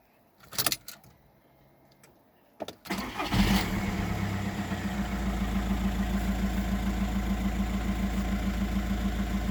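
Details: VW-group 1.9 TDI diesel after repairing the G28 crankshaft/engine speed sensor wire (no-start, fault 000802/P0322): a few clicks, cranks, catches and settles into a steady, even idle with regular low pulses; normal idle.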